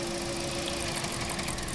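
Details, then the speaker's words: 2016 Toyota Corolla 1.6, over 100,000 km, unknown history, codes P1603, P1604, P1605: rough, uneven idle with irregular stumbles over a noisy bay; misfire, possibly from faulty ignition coils. "ना है ना miss fairing के लिए ना आपको ignition coil check करनी चाहिए। Spa plug check करने चाहिए। फ्यूल इंजेक्टर चेक करने चाहिए।"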